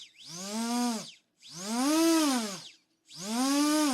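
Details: RC Era C189 helicopter ESC board tested with a servo tester, tail rotor motor driven after the ready beeps: three high whirring spin-ups, each rising and falling over about a second, smooth and even; normal motor run.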